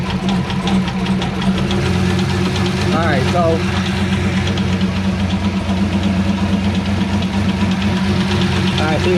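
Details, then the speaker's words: C5 Corvette Z06 V8 at idle, heard from underneath the car: light, fast, even ticking that seemed louder; harmonic balancer checked, owner doubts it is the cause; source of the tick unconfirmed. "see i just looked at this side here and it's still doing it so it just sounds like it got louder"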